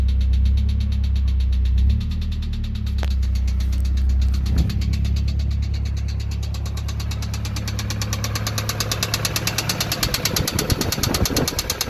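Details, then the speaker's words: Nissan 240SX engine blown while sliding in the desert, restarted after adding a little oil, power had been lost: rough low idle with an uneven rapping knock near three per second, sharpening; owner suspects something bent inside, engine swap considered. "i'm just knocking in there time for a swap maybe"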